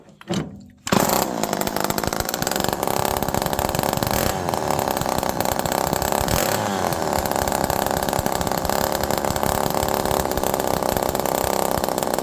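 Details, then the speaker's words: Homelite Super Mini chainsaw, low jet at about 1.25 turns out, fuel pouring from the exhaust. Thick, uneven, burbling note that never settles into a clean idle, sounding overly rich. An early air leak is suspected; the cause is unconfirmed. "Now, it was really air leaky when I first started it. Sometimes you just got to give these old saws time to settle down. But again, there is fuel pouring out of this muffler, and I'm still half one."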